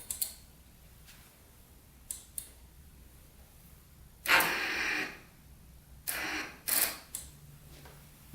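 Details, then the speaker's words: Yamaha YFZ450 big-bore project quad, starter fed by touching the wire to positive: a few brief clicks, then short strained bursts that never build into cranking; not enough power, owner believes the small battery is worn out. "you can see it's just not enough power. Let's see if we can get some jumpers on this thing. The batteries, I think, clapped out at this point."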